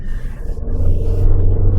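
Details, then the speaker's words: 2025 Tata Sierra 1.5L diesel, heard inside cabin while revving, not in sport mode: deep droning rumble builds as revs climb; much engine noise seeps in, louder than other modern diesels, distracting though engine is healthy. "It's like I'm not even in the sports mode and the engine, there's a lot of engine noise seeping inside. I know this is the diesel engine, but in today's world, all the other diesel engines are quite quiet."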